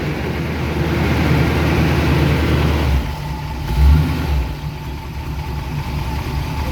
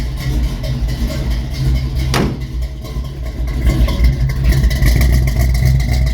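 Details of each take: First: 1971 Chevy C10 pickup, 350 small-block V8, after sitting three months since November, now warmed up: even, steady low burble at idle with one brief blip around four seconds, firing on all cylinders. Normal warm idle. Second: 1971 Chevy C10 350 small-block V8, cold start after sitting three months with starting fluid: rough, lumpy idle with uneven beats and stumbling rhythm; not firing on all cylinders.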